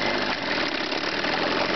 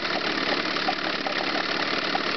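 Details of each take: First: Chrysler 9.9 hp outboard with the low-speed carburetor mixture screw set too lean: rough, uneven idle with irregular stumbles and skipped beats; a lean misfire, cured by backing the screw out about a quarter turn. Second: Chrysler 9.9 hp two-stroke outboard after backing the low-speed mixture out about a quarter turn to cure a lean misfire: busy, even buzz holding steady speed without missed beats; clean idle, misfire gone.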